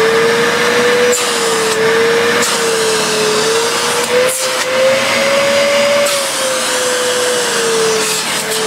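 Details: Hoover Purepower U3456 Autosense vacuum before refurb: steady whining motor hum sagging and rising as it drops voltage through power settings; smooth, even, motor healthy.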